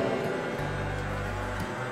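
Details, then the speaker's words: Bread dough mixer after repair of its cracked joint, previously rough, weak and drawing high current: even, steady low drone without knocks, grinding or surging; runs smoothly. "Untuk putaran lebih sempurna, sangat halus."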